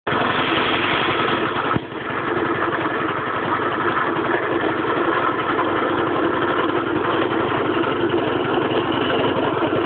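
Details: Piaggio scooter engine idling steadily with an odd, rough mechanical noise over the running; owner reports a strange engine noise.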